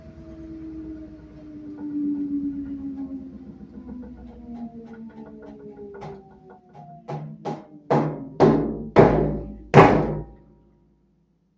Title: LG Smart drum Washing Machine ends at 2 (Banging Noise)